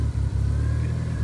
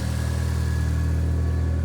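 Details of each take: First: Mitsubishi 4G63-swapped automatic SW20 Toyota MR2 with flex fuel sensor, run mostly on E85 and now on pump gas after the exhaust leak fix: idle sags and recovers several times, nearly dying. Running lean and surging, needs a retune. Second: Mitsubishi 4G63-swapped automatic SW20 Toyota MR2, idling after a fuel hose was replaced: steady, even low idle, smooth rumble, no puffing or ticking; quieter, no longer sounds like a tractor. Normal idle.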